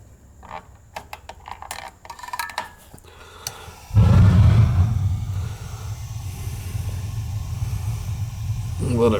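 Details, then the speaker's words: 12-year-old gas water heater that wasn't heating, pilot relit: a few control clicks, then the burner lights with a soft whoomp and settles into a steady, even low roar. The pilot likely went out or was lit wrong. "Alright, let's see if it stays on when I release it. It's staying on."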